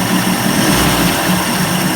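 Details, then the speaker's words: 1990s 30 hp Evinrude two-stroke outboard idling steadily with an even, buzzy drone after carburetor rebuild and idle adjustment, previously stalling and idling rough: now running normally, no stumbling. "it's running good"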